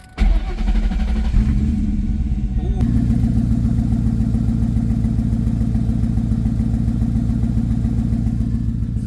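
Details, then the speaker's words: Mustang GT after repairing oil-soaked, stripped O2 sensor wires that caused a choking, chopping idle and check-engine light, sat a while in winter: starts first crank, smooth even idle with a deep burble, no chopping; normal idle. "fixed the issue with the O2 cuz the wires were stripped up and full of oil it was making like a weird chopping noise it was like kind of sound like it was choking and now it's not doing that no more it's just running smooth"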